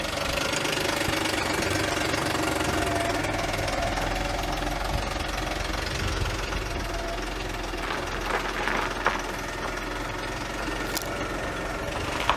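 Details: Audi A8 D3 engine, previously rebuilt after the head failed, valves bent and tensioners broke: harsh, uneven, diesel-like clattering knock at idle, loudest on revs.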